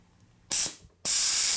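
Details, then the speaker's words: Lagun vertical milling machine's newly installed air regulator, water separator and oiler: two sharp hissing bursts of compressed air spraying from the open separator drain onto the machine, with no hose fitted to the drain. "draining all over your milling machine so I guess you supposed to have a hose on there or something"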